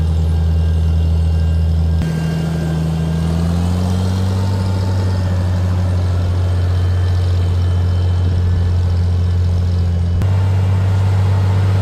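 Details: Tractor, 12V six-cylinder, running Autolite 386, first start after sitting over a year, choked, in neutral; slight sputter from probable moisture in gas, then deep steady rumble settling smooth and even, running really good.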